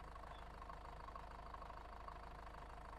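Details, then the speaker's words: Range Rover Evoque diesel, 150,000 miles, heard from underneath at idle: low knock about twice a second with the engine rocking at the front; engine mount suspected, owner hopes not the dual mass flywheel. "That's the engine mount under here, which I've got a new one off. I mean, it's rocking around all at the front."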